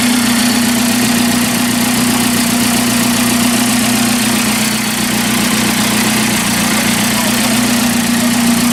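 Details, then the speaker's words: 1981 Alfa Romeo Spider Veloce, first run in about 8 years, exhaust section missing, temperature gauge mid-scale: smooth, even idle around 900–1000 rpm with a steady hum and no knocks or misses; normal idle. "so just idling about a thousand maybe 900 rpm right now"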